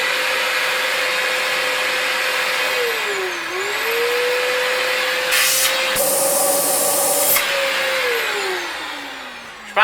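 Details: Electrolux Epic 8000 vacuum (1997–98) after its original motor with a broken bearing was replaced by a modified-fit generic motor: steady, smooth motor whine that dips and recovers with handling, no rattle or grinding; normal running after repair.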